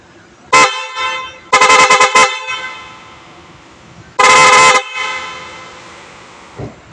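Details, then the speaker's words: Newly installed PIAA horn on a Toyota Raize, wired with a fuse holder: three loud, bright blasts, the middle one a quick run of short toots, each clean and strong; the horn works properly. "So tapos na tayo, mag-testing na lang tayo. Pakinggan niyo guys yung bagong busina na nilagay natin."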